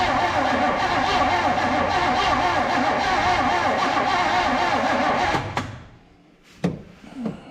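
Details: 1970 Monte Carlo that sat for years, fuel pump feeding through a see-through filter to the carb. The starter churns steadily about three beats a second for five seconds, but the engine never catches.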